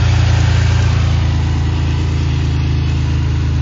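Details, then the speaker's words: 1988 2.8 L engine and transmission, complete with alternator and AC, oil recently changed, new plugs, wires and transmission filter: steady, even low idle with a smooth beat and no knocks or misses; strong, healthy engine at normal idle. "It's a great engine."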